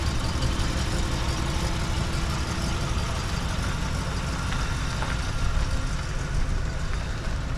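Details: 1968 Oldsmobile Delmont V8: even, steady idle rumble with no knocks or ticks; normal idle.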